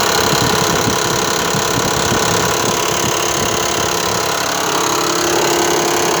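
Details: Mitsubishi Pajero 4 3.0, sound heard on arrival at the parking lot: steady idle with a light, uneven tapping at about four per second; engine knock present, cause not yet pinned down.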